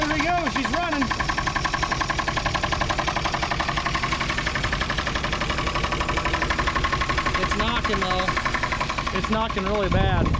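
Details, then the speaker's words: 1962 Chevrolet Biscayne, 235 Blue Flame inline six, 3-speed column manual, sitting in a field since 1969, running on ether and fuel pump: idles with a loud steady knock, about four a second, over the exhaust; bad engine knock, cause unknown. "well she's running that exhaust is good oh yeah you can definitely hear how bad she's knocking over here though"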